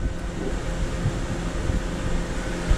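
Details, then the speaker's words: 2009 Honda CR-V after AC compressor replacement and system recharge, engine running with AC on: steady low engine hum and even fan rush, no knocking, grinding or squeal; AC blowing cold, line cold, new compressor working normally. "so the engine is running ac is getting cold yep oh yeah baby"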